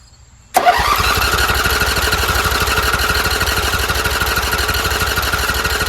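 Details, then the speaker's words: Toro Z-Master with Briggs V-twin carburetor engine, converted from Kohler EFI wiring harness, first start attempt at half throttle: steady rapid cranking near three beats a second that won't catch while fuel primes through the lines to the carburetor. "All right, so I'm going to crank this. It's going to take a while for the um fuel to prime through the lines into the carburetor."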